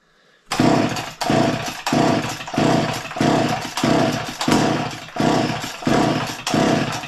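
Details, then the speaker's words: Garage-sale two-stroke chainsaw after heavy fueling: repeated short bursts about every two-thirds of a second, firing and dying each pull without catching. Owner unsure whether it needs more or less fuel; sputters but won't start. "it seems like it wants to go I don't know if we need more juice less juice"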